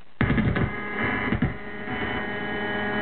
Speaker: there's your ground loop again okay this one's going through the ground Loop isolator right there